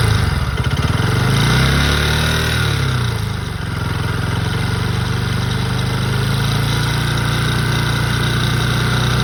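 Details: Bajaj Pulsar NS200 BS6 single-cylinder idling: a loose, uneven rattle rides over the beat and dips briefly with a blip, cause not identified; engine oil is also leaking from the cylinder head.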